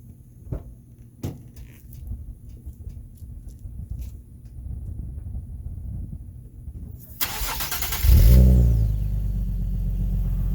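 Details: 2010 Infiniti G37 Type S coupe, 6-speed manual, at first start after installing a Top Speed Pro-1 dual exhaust, heard from inside: quiet, then a short crank, catches and settles into a deep, steady idle. Normal cold start, not too loud.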